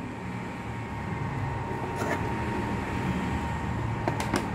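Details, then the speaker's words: PS3 Slim that shut down by itself while playing despite two thermal paste changes; fan had not been spinning. Now a smooth, steady airflow rush with a low hum, no rattle or scraping; cooling fan running normally. "Iya bener-bener nggak ada bunyinya tadi sekarang ada"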